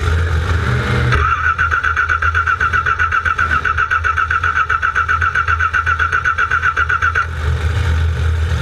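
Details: Cranking with no start, with an oil leak noted: the starter churns with a steady whirring pulse for about six seconds, but the engine never catches.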